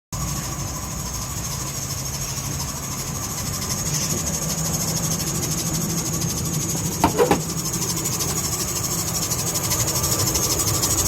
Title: Belt Squealing Noise , easy to fix it with silicone Lubricant.